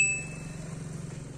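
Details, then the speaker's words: Samsung 11 kg washing machine that powered on but would not start, after rejoining a broken circuit wire: quick high chime, then a softly pulsing motor hum as the drum turns both ways; normal wash start and agitation. "นั่นแน่หมุนขวาหมุนซ้ายเห็นบ่ครับหมน2ทางได้แล้วนะครับผมอ่าอันนี้คือชั่งผ้าปกตินะครับ"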